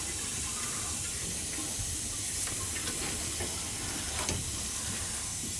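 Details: Gas boiler hydronic system with no heat to second floor, zone purged through a hose into a pit with the zone valve head bypassed: rushing hiss of water broken by irregular spits and gurgles of air; zone air-bound.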